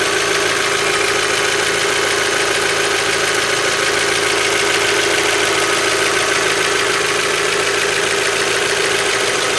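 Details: Mazda Miata, 76,000 miles, Mobil 1 5W-30 changed under 2,000 miles ago, oil about full, after a valve cover gasket change: light, fast, even tick about twice a second over idle; owner suspects lifter tick.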